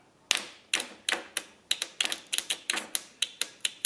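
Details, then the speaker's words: Honda CB360 motorcycle: sharp dry solenoid clicks about four a second with no cranking after fixing a poor solenoid ground; solenoid works but the starter motor is weak. "you can hear it clicking the starter on this one's not so good but the solenoid it's working well"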